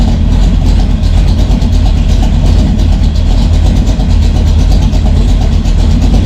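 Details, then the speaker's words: V8 with a Brawler 650 CFM double-pumper carb (timing 16° initial, 36° total), still warming at about 180°, good fuel pressure and no leaks: deep, slow, lumpy idle sitting below its usual ~900 rpm, running really rich when cold. "How rich it is at idle. Idling pretty low too. Idle's up around 900 usually."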